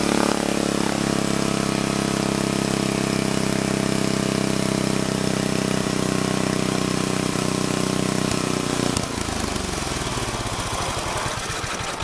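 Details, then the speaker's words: Old Troy-Bilt Horse I tiller, single-cylinder, after valve cleaning, a new plug and a replacement carburetor: uneven idle with occasional pops, then winding down. It still backfires but sounds better; the cause is unconfirmed. "It actually did sound better that time. It did still pop some though. It is sounding better."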